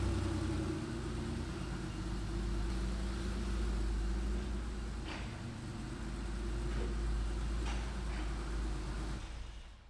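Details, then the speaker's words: Porsche 964 flat-six at idle with a deep, busy rumble that sags and recovers instead of holding even; owner suspects a false-air intake leak causing odd tip-in and idle behaviour the ECU can't smooth. "I noticed, something is wrong with the intake. It's taking in false air somewhere. That shows up weird behavior on tip-in and at idle. The ECU can't always smooth it out."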